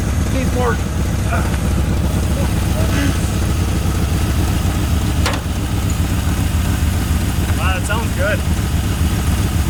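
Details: 1981 Ford Mustang 5.0 V8 fox body, a forgotten car being revived, with truck mufflers and no cooling fan yet. A deep, steady, quiet V8 idle with an even lope and no misses or knocks: a normal, healthy idle.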